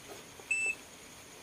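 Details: Sharp ESX156 washing machine (12 kg/5 kg), pressing a button to select Tub Clean mode: one short, clean high-pitched beep on a quiet background; normal confirmation tone.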